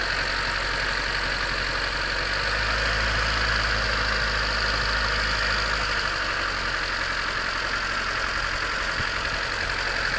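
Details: 1991 Honda CRX DX, D15B2 dual-port, 300,000 miles, cold start at about 30°F: steady quick clatter, three to four knocks a second at idle, owner unsure if rod knock, piston slap or valve clatter; improves warming up.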